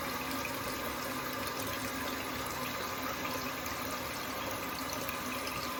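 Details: Toto toilet with Korky fill valve after fix (valve greased with plumbing grease and cover refitted), tank refilling: steady hiss with no groan or deep resonant tone; valve now quiet and smooth.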